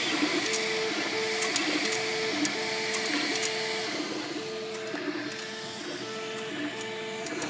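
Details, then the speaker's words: MakerBot Replicator 2 3D printer running with sharp irregular clicks over the repeating stepper-motor tune and a faint squeak. The noise comes from the side opposite the motors; cause not yet found. "It seems to be coming from this side, the opposite side of the motors, which are over here. Here I'm getting a little squeak there too. Definitely coming from this side."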